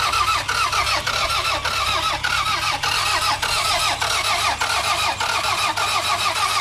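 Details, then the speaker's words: $500 used car with a missing vacuum hose and fuel in the tank: steady, slow starter cranking under two pulses a second that never catches or fires. Owner unsure, suspects no fuel or no spark. Crank, no start. "I will find out that it doesn't start. Bro, it will go so many more places now that it doesn't start. So that's a bit of a shame."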